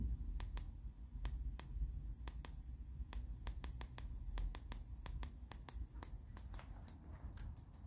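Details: Sugarcube SC-2 Plus with nothing on the input, output to a Sansui AU-919 amplifier: sharp, clock-like ticks two or three per second in the left channel only, over faint hum. Periodic ticking fault, cause unknown.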